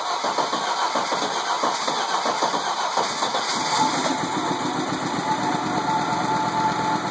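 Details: 20V turbo engine, first start after rebuild: catches and holds an even idle without misfires, ticks or rattles; starts and runs normally.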